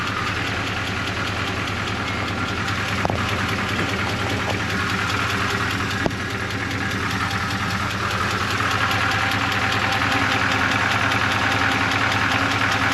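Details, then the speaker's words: 1985 Suburban K20 V8, warmed up at lower idle: a sharp, fast tick, roughly 150 a minute, rides steadily over the idle; source unknown, owner fears it's internal but says it almost sounds like the exhaust. "there we go now it's warmed up I only a bit lower definitely hear a wicked ticking"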